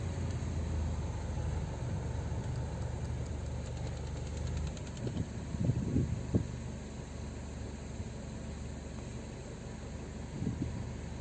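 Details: 2003 Saab 9-3 B207 petrol engine idling low and steady, then with the A/C switched on the note drops and uneven surges and thumps break in; fine with A/C off.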